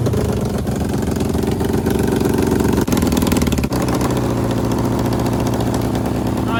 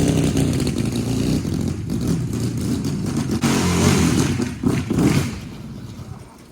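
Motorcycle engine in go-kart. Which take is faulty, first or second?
first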